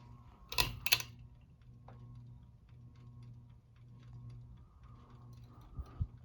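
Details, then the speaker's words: Bahama Hugger 52-inch ceiling fan model MC-52, running in reverse: soft motor hum with light tick about three times a second, louder in reverse; owner suspects a wire nut is hitting and that something is hanging on the top motor vents, not confirmed. "okay it's sounding it's more loud now on the reverse so okay it sounds like it's hanging on like those vents on the top motor"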